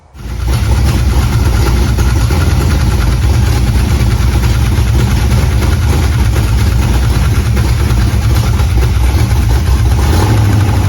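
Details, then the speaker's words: Chevy small block 355 V8 in a Squarebody truck starting and idling: light rapid ticking over deep rumble, caused by the distributor rotor rubbing the cap. "I was trying to figure out this weird ticking noise that the engine was making, which I'll play right here."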